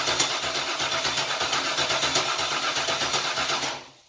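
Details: Junkyard GM LS 5.3 V8 on an engine stand, cranked with injectors and coil packs unplugged to check oil pressure: even starter cranking at about four pulses a second, unlabored, stopping cleanly with no knocks; healthy cranking, oil pressure confirmed.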